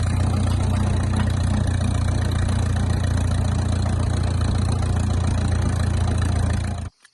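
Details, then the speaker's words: 1951 Farmall M tractor, engine just rebuilt (new sleeves, lapped valves): steady even low chug at idle, no knocks or misses; runs well, though coolant leaks at a seam and a head stud. "okay well she runs she runs pretty well"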